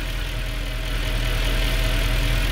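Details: 2013 Mercedes C63 with 100k km, started after new valley gaskets and new PCV fitted and faults cleared: deep, even burble with steady rhythm, no knocks, ticks or whine; normal idle.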